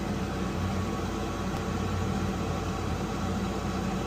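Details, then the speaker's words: Weil-McLain HE boiler (integrated control 1013-200) firing: loud, steady low drone with rough buzzy vibration from the combustion blower; technician says it's getting tired, vibrating, mounts might be tired. "It's getting tired. It's vibrating on here. The mounts might be tired. These are mounts that might be bothersome. It's definitely loud."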